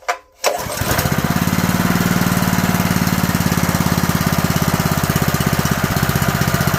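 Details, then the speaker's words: Honda GX160 junkyard engine after a makeshift carburetor rebuild, on fresh gas: the single cylinder fires after one pull and runs with a steady, even beat, but only holds on partial choke because the jet is still partially clogged. "So it runs, but it has to have partial choke on it in order to run. What that tells us is that our jet is partially clogged still in this janky carb rebuild."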